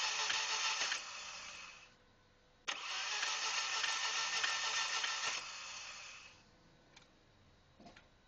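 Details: 1997 Audi A4 1.8T that shut off without warning on the freeway and won't restart. ECU swap, new fuel filter and pump and checked fuses and ignition module did not help, and there are no DTCs. Quick, even cranking bursts never catch. Diagnosed failed timing chain tensioner; engine replaced.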